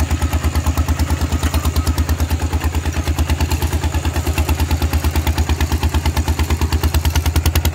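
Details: Thai tractor with iron wheels ploughing a rice paddy, fitted with a trial replacement exhaust pipe; hard, evenly spaced, very loud sharp thumps about three a second under ploughing load: loud open, unmuffled exhaust.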